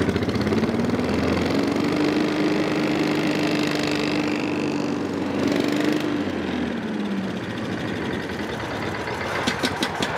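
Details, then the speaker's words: Honda-powered Billy Goat in about 21–22°F cold, with a manual (not auto) choke stuck open, so it would only start on ether; it catches, runs unevenly, tone rising then sagging, and dies after about seven seconds. "anyhow now i started to not say panic but get a little aggravated because this thing would only run and die this thing would only start if i used ether"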